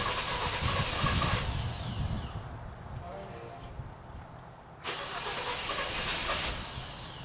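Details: 2017 Kia Optima 2.4, burning a quart of oil every 825 miles, first start after a Berryman B12 and Liquid Moly flush soak to unstick the oil rings; long steady starter churning about three turns a second before it finally catches.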